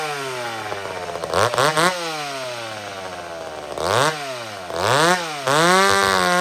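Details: Old McCulloch Super Pro 70 chainsaw cutting wood: revs crisply into each cut, holds strong even pitch under load, drops back cleanly. Healthy, well-running saw.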